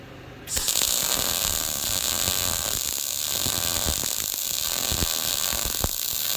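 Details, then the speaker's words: YesWelder MIG-205DS dual-voltage multiprocess welder, MIG, voltage trimmed from +10 to -5 at same amperage: crackling frying arc with frequent sharp pops; sounded better but threw lots of finer spatter, technique less smooth than on the +10 side. "Okay, so it sounded better, but look at all the spatter I got everywhere. It's much finer than the other side, and I'd say my technique wasn't nearly as smooth either as the other side."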